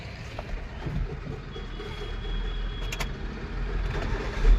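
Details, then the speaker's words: Hyundai i10 idling with AC on, after tightening the loose V-belt: soft even low hum, no squeal or chirp; belt noise fixed. "और engine की आवाज सुनो आप ये देखो बिल्कुल भी आवाज नहीं"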